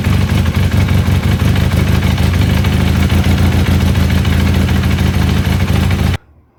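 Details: Honda CB400 at steady idle: loud, fast, uneven clatter from the top end, a slack cam chain rattling.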